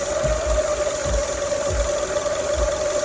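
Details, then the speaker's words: 2002 Acura RSX Type S K20 with warm-engine idle surge/hunting: idle air control valve port blocked by finger, idle drops low (about 500 rpm) and holds steady instead of surging; excess bypass air from stuck IACV. "and I'm just letting my finger off a little bit at a time because there's probably a certain amount that probably went down to like 500 RPM or so I'm just letting a little more air in at a time and just letting more and more air in there and then we've got an imcb that's basically stuck"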